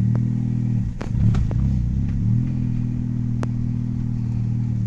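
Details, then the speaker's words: Honda Jazz after replacing front brake pads: steady low engine drone while driving, no scraping or croaking clunk when braking, which occurred before the repair; front brakes now quiet and normal. "[Musik] sudah nggak ada suara ya untuk suaranya [Tertawa] ini sudah normal untuk remnya"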